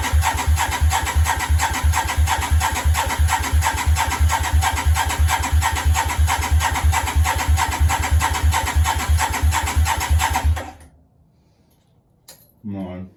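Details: Yamaha Virago 535, start attempt with new one-piece manifold: even starter cranking about three beats a second for ten seconds, no firing; had spark, strong fuel smell, possibly too much fuel.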